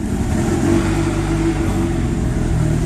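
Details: Honda non-VTEC B20 just fitted with Huntertuned decapped E85 injectors (about 1000cc), Hondata set to Injector Dynamics 1000cc: fires and settles into an even low rumble with steady beat, no misfire or stumble; running cleanly.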